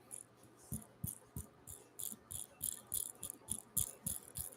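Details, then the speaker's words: Nano BAM motor on an aluminium SCX24 Nano mount with a brass MOFO RC all-steel-gear transmission, no lube, spun by hand: short light whirring bursts, about three a second, smooth with no grinding or binding; gear train spins freely. "spins freely and smoothly when we spin that motor you probably can't see it but this output shaft here and here and the spur gear here are all spinning as I spin the motor maybe you can hear it"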